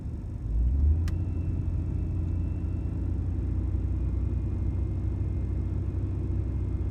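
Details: 2005+ Ford Taurus 3.0 Vulcan in park after fixing intake gasket, EGR tube O-ring and manifold runner leaks that caused misfires: steady, even hum held at 1800 rpm, no miss, hiss or tick; AC compressor cycling bumps rpm about 150.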